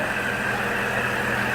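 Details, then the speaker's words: 2004 GMC Envoy 4.2L, about 255,000 miles, at first startup after 4 weeks following a clogged oil pickup, timing cover/oil pump and harmonic balancer work; oil pressure about 70–75 psi. Smooth, steady idle; the earlier top-end ticking is gone. "Everything seems to be running smooth. You know, I don't hear the tick, tick, tick, tick, tick noise that it had kind of on the top end."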